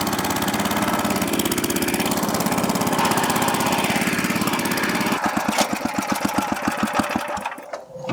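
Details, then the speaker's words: Rototiller that sat unused, restarted with fresh gas on second pull, slightly choked: small single-cylinder engine runs fast and steady, then drops to an even, slower putter at idle, sounding clean and healthy; normal running. "jeez man I'd say that could rotationally till some land right there"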